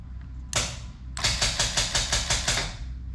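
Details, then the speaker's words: 2JZ car with a newly installed Smooth Stage bump box, trans brake button pressed and rate sped up: crisp, evenly spaced clicks about five per second in a short burst; trans brake solenoid pulsing normally. "So when you push the button, the trans brake button, and then you can hear it clicking. And then you can speed it up."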